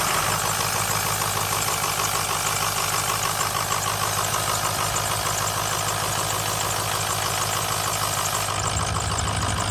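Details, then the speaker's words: 2006 Ford F350 6.0L Power Stroke diesel, just glow-plugged and started: steady idle with a constant sharp air hiss near the turbo that stops when the VGT solenoid is unplugged; owner suspects over-pressuring and replaces the VGT solenoid. "now and in instantly you could hear the air I'm going let me come over [Applause] there you hear that air hissing now"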